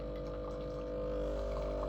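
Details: Breville Barista Express BES870, new never-used returned unit, pulling an espresso shot with pressure gauge around 11 o'clock; steady deep buzzing hum holding even through the shot; normal pump operation at proper pressure.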